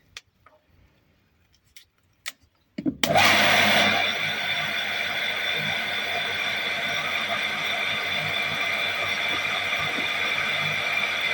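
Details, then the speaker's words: Water pump on a Portuguese quinta, switched on: a few clicks, then a steady even hum settling quickly while building pressure, no rattling or surging, no apparent leaks; running normally. "Building up pressure. There it goes. Have you got turn it? Doesn't look like we have any leaks anyway."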